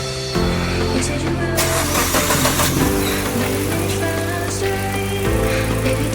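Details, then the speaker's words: Maruti Swift Dzire VXI petrol after fitting new spark plugs, the old plugs found shorted, which had caused the misfire and poor pickup: catches after a short crank, steady even idle with no vibration; normal idle, problem solved. "ನೋಡಿ friends ಸ್ವಲ್ಪನು vibration ಇಲ್ಲ ಇನ್ನು mould ಆಗಿಲ್ಲ ಇಲ್ಲಿ ನೋಡಿ ಸ್ವಲ್ಪನು vibration ಇಲ್ಲ problem solve ಆಯ್ತು"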